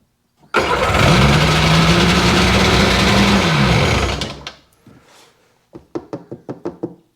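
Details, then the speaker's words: 2001 Sea-Doo GTX RFI 787 fuel-injected two-stroke: long rough crank with a rising, labouring note, fails to catch, dies after about four seconds, then clicks; plugs soaking wet with gasoline, injectors suspected of over-fuelling; flooded hard start. "Plug coming out. Soaking wet again. Gasoline. Tons of it."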